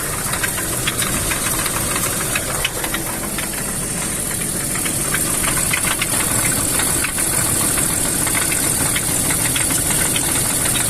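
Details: BMW M54 engine running: quick, uneven ticking knock about three a second over the engine; cause unknown. Engine knock.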